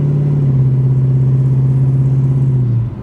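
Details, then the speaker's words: 1966 Plymouth Barracuda V8 with automatic transmission, new plugs and plug wires, fuel system cleaned, cruising on the road; deep, steady old-school V8 rumble with an even throb through a mellow exhaust, healthy. "kind of got the uh Old School Rumble"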